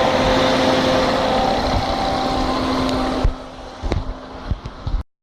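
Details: 1998 Fiat Marea at idle: steady idle with a faint humming tone, then the engine quiets with a few ticks; source of the noise not identified.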